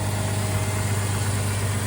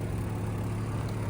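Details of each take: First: Sounds great. All right, so look how quiet that thing is. Smooth as can be. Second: 2002 Jeep Grand Cherokee WJ just after an engine replacement, at idle: a raspy, go-kart-like putter over the engine note. The exhaust is leaking because it was cut off earlier and has holes in it.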